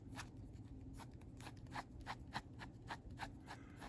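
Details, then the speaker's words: Wheel bearing removed from a 1969 Mustang axle, spun by hand: gritty, uneven clicks and crunches from a worn, rough bearing that was silent while still on the axle. "I hope you can hear that that's a bad wheel bearing and oddly enough when it was on the axles it made [Music] um no noise at all but once it's separate it makes plenty of noise"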